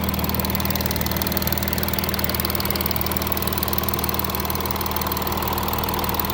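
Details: Audi A6 3.0 TDI 272 PS diesel, fully warm after 100 km motorway drive, idling: steady fast metallic tick over the diesel clatter; camshaft and chain tensioner damage suspected, unconfirmed.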